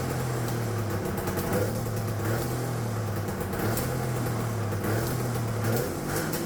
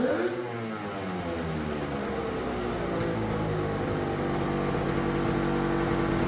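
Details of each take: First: Turbocharged two-stroke triple on custom EFI (Spartan 2.0 ECU), no water in it, after fixing a vacuum leak: steady pitch with choppy crackles as limiter cuts in and out; two-step launch limiter working. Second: Turbocharged two-stroke triple on custom EFI (Spartan 2.0 ECU), during two-step testing: revs climb and hang high unevenly without throttle; erratic high revving from an open vacuum line, owner says, about to be fixed.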